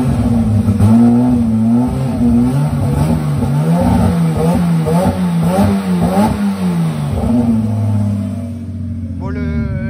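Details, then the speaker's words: Turbo BMW 325i E36 on a Megasquirt map, oil cold, coolant at 43°, being revved: ragged revs with uneven stumbles and popping breaking up the climb; misfiring from a badly set fuel map caused by the owner's own changes. "chant est complètement mal réglé, hein. J'ai regardé la FR, c'est pour ça qu'il y a des gros ratés. C'est à cause de ce que j'ai fait ici."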